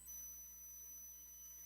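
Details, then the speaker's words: Live-stream microphone: constant thin high-pitched squeal holding one steady pitch over faint hiss; electrical whine from the new microphone itself, persisting after repositioning the phone; owner suspects the fan or hearing aids, then swaps mics. "the phone might be too restrictive and it might be making it squeal of course yesterday that wasn't what fixed it but you never know do y'all still hear the squealing"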